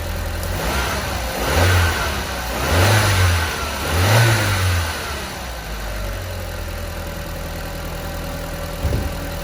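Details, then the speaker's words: 229,000-mile Audi TT on the dyno after its intake air leaks were fixed: three clean revs that rise and fall smoothly, then a steady idle with no hiss or stumble. It runs better and has regained power. "Well, that sounds better. couple of pulls there. And we've gained some power."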